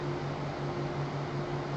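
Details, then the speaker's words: Four converted G5 fans with Zalman 92mm motors plus two CPU fans and the rear fans all at 12 V; loud steady whirring roar with slightly beating drone, the familiar G5 racket at full speed, normal. "just for fun let's have all channels on and all phones going and you'll hear that familiar G5 racket when you got every fan on running at 12 Vols so this is four G5 fans two CPU fans and the rear fans all running at 12 Vols"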